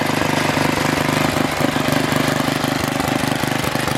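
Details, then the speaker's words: Troy-Bilt Super Bronco tiller, bought locked up, possibly stuck reels, now repaired with exhaust warm: small single-cylinder engine at a steady, even chug with regular beat and no knocks or misses; normal running. "you guys have it the troy-bilt super Bronco is up and running"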